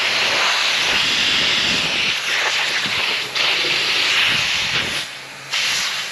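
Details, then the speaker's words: Pressure test of a boat's forward steel fuel tank before welding: loud, sharp hiss of escaping air with a few brief dips, from the tank vent; air leak from pinhole. "However, I can hear the vent leaking, so let's go check that out. Oh yeah, wow."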